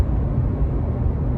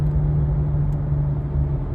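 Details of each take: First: 2018 Subaru Crosstrek driving about 55 mph after replacing the rusted rear wheel bearing: even low road rumble with no hum or growl rising over it; the new bearing sounds fine. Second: 2018 Subaru Crosstrek coasting off the gas above about 40 mph: steady low hum droning over road rumble; rusted worn rear wheel bearing, diagnosed and replaced.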